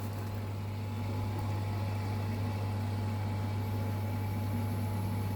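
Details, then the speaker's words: Aquaponics venturi injector (UO² 1N-Viper) with suction point closed, flow set between 4 and 5: steady low pump hum, faint thin tone and light hiss, jumping slightly from mild cavitation; normal intended operation. "it's jumping a little bit cuz there's a bit of cavitation happening there I like that sound that's the one right here we go very exciting"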